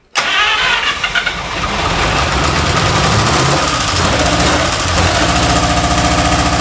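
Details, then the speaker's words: 1952 Buick Super, abandoned 40+ years, first start after oil/trans fluid put in cylinders to seal rings: catches after cranking into a ragged, uneven idle with heavy smoke; rough running on first start. "Yeah. Heat up here. Holy hell. This might be the most smoke I've ever had on the show."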